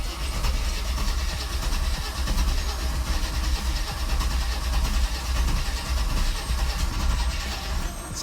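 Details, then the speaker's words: Grey-market Mercedes under restoration that previously wouldn't start, cranked with the air cleaner off: a steady, fast cranking churn for several seconds without catching, sounding different than before. It later ran for about five seconds. "I do have the air cleaner off I wonder to put that back on myself but it sounds different than it did the last time which was the day of the trucks arriving"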